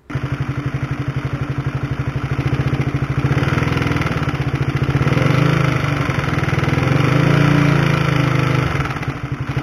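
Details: Honda CB150R with a worn, noisy cam chain (tensioner chain) before replacement with a DID chain, mic held close: fast metallic rattle over the single's thump that rises with revs, like a sewing machine or helicopter. Cam chain rattle.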